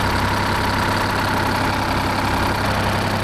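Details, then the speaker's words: 1975 Peterbilt 359, Detroit 12V71 V12 two-stroke diesel, running with an injector line pulled to check fuel delivery: lumpy, hollow, uneven idle, entire right bank stone cold and barely getting fuel; dead cylinder bank from low fuel pressure. "I've never had one with like this this cylinder be this Bank be this cold before like the entire Bank it makes no sense"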